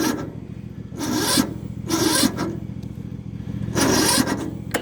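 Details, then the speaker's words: Yard Machines small engine on a cold, frosty morning (about 33 degrees), choked. Three sluggish cranking bursts about a second apart, dragging without catching; slow, labored cranking. It ran great yesterday but won't start after sitting overnight; owner suspects the battery, not confirmed. "I actually think it's the battery, but this thing ran great yesterday."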